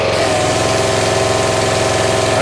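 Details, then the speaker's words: North Star 3000 psi pressure washer, Honda engine not at full throttle, resealed CAT 5DX40G pump with replaced valves: steady even drone under pump load, no surging or shaking; formerly vibration and low pressure, now healthy. "more air bubbles coming out one until No Air pulls the unloader well that feels really good"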